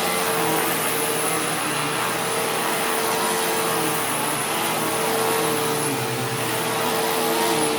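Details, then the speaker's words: Newly acquired Sharp Twin Energy vacuum (no height adjustment) on carpet: an ear-piercing steady whistle over constant rushing airflow. Owner suspects air pulled behind something causing interference; source not yet found. "Yeah, there is unfortunately a very, very prominent squealing noise, and it's ear piercing. Like, it's really bad."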